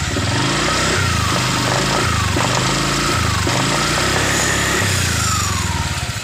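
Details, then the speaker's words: Honda Vario 125 LED scooter after CVT repair for lack of power and rough CVT noise: repeated throttle blips rise and fall cleanly, clean at low and mid revs, drive even and free of rattle or grinding. "Coba kita gas sudah bersih pada awal putaran Tengah putaran itu nggak ada masalah"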